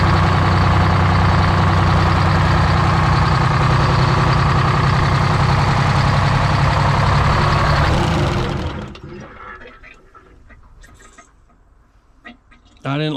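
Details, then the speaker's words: Detroit 12V71 diesel in a 1973 Peterbilt 352 cabover, first start after sitting since 1986, no coolant in it: loud heavy clatter about three and a half beats a second, revs creep up then shutdown; possibly an injector hanging, suspected. "that you hear that rpm increase i'm not sure if maybe we're trying to hang one"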